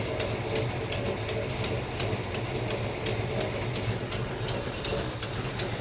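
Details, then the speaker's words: 1957 Chevy wagon big block, barn find, running first time in 20 years after carburetor fix: sharp hissy ticks about three a second over rough idle; exhaust leak, location unknown. "Definitely got an exhaust leak somewhere. So it's idling pretty good."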